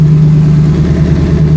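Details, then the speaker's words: Twin Precision 6266 turbo race car after relocating the battery, charging at 14.4–14.5 V, starting much better: engine catches and settles into a steady, even low drone with no stumble or misses, fan and turbos running; normal idle. "Good voltage. Starts up way better now. Oh my gosh. I hope you can hear me with the fan and the turbo's going, but alright, we can go ahead and kill it before we pass away from carbon monoxide."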